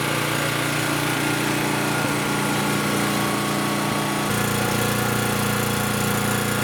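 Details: Champion generator that had no compression and wouldn't start, after valve adjustment restored compression: small engine runs at a steady, even buzz with regular firing and no misses or surging. Normal running.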